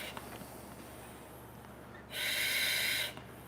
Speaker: and you also hear him breathe every time he takes a breath you can hear that hissing sound